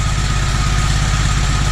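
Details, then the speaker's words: Toro 2CV twin, just reassembled after carburettor work: steady, even putter at tick over, no misses or knocks, smooth healthy idle; carb appears improved but still dies when throttle opened. "But doesn't she sound smooth? I think she'll tick over. That is tick over. So there we go."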